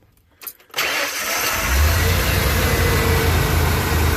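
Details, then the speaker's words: Van after repairs, breather disturbed: a few short crank bursts before the engine catches and settles to an even idle; normally starts first try, owner suspects the breather; hard starting. "there we go he normally starts first tribe but I do have the breather oh so that might be what it is"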